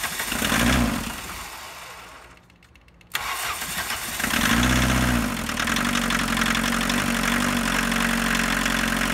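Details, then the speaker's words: Abandoned 1985 Volkswagen 1.6L diesel, fuel system purged, shutoff valve energized, glow plugs powered about 15 seconds: cranks briefly, catches at once, settles into even four-cylinder clatter at idle, no misfire; all glow plugs apparently worked, normal start. "actually I was expecting more drama but this is nice it sounds like the engine's hitting on all four right away so chances are all the glow plugs worked"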